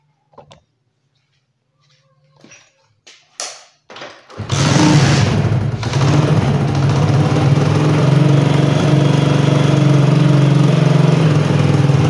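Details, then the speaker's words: Honda CD-70 motorcycle at idle before silencer replacement: engine starts into a loud, rough, booming exhaust beat, far too loud, because the silencer is cracked and broken in several places. "तो दोस्तों जैसा कि आपने इसका sound सुना है तो इसका साउंड जो है वो इस टाइम बहुत ज्यादा हो चुका है इसी वजह से हम इसका साइलेंसर चेंज कर रहे हैं"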